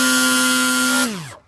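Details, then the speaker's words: Hobbyking ASW28 RC glider electric motor: harsh steady buzz and vibration at about 60% throttle, normal at 50% and 100%, then spins down; owner already swapped several parts but not the motor, cause unknown. "da war es so voll macht und jetzt kann man es richtig was war jetzt gerade 60 prozent"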